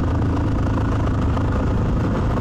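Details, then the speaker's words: Suzuki DRZ400 single-cylinder with knock-off Mikuni carburetor just fitted, idling; uneven thump with sharp pops, lean idle backfire, so air idle screw needs slight adjustment and float level possibly needs adjustment. "Bit of a backfire, which means that the air idle adjustment needs to come out just a hair to allow for a, you hear that? Backfiring."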